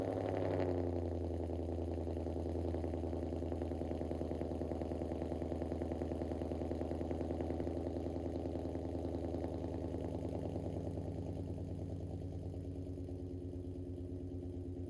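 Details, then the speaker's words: Ford Mustang S550 drift build idling after its exhaust leak was fixed with a pipe expander and new clamps; AC kicks on, good oil pressure, check engine light on. Smooth, even idle with no exhaust puffing, then a brief lift; normal. "Not bad, not bad. AC, I think, just kicked on in there. I'm gonna kill it. You probably can't hear me. But the old Mustang is doing okay."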